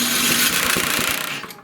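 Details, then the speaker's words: Tecumseh-engined snowblower after replacing the electric starter gear that had ground loudly: the engine is spun over with the switch off, a short, smooth, much quieter whirr with no grinding, then it winds down. Normal cranking. "See how much quieter it is? That's what you want."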